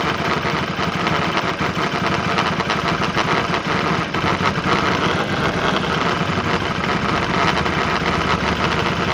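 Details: Bajaj RS 200 motorcycle single at idle: rattly, clattering tick over the exhaust beat; abnormal engine noise, cause unclear.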